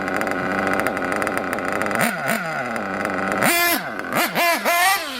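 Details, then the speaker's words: RC nitro engine on pavement after carb retune: high-pitched buzzing idle, then sharp revs rising and falling quickly with only slight load-up, no bogging; crisp acceleration. "took off pretty good it'll always blow up a little bit but you don't want it to load up so much that pills"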